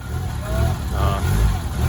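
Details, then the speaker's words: Honda 7th-gen with modded K24A1 turbo engine, VTEC locked on the big lobe, EP3 transmission, first start: surges and sags with throttle blips, only runs while revved, won't idle by itself; TPS not calibrated, throttle body needed cracking open. "she's alive but not idling on its own you got to keep revving it that's a rumble"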